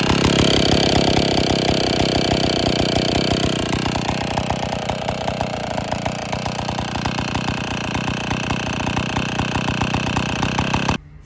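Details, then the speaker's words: IEL Pioneer HM chainsaw, old two-stroke, after complete teardown (leaking base gasket, starter dogs fixed), running before bar and chain fitted: loud, steady buzz at even speed, no stumbling or misfire; now runs great. "But anyway, we got she's running. I'm gonna go put the bar on. We're gonna fire it up here one more time."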